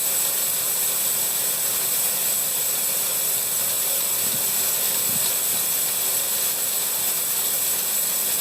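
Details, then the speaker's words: Homemade DIY sawmill bandsaw, first dry run with no log. Even, high-pitched whirring hiss at a steady level with no thumps or rubbing; blade running smoothly, normal bandsaw running. "That's a beast. That's quite smooth, isn't it?"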